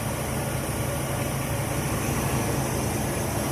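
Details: Old Chevy S10 pickup after refuelling; it had been towed in as a no-start because it ran out of gas: steady, even low idle with no knocks or misses, running smoothly and healthy.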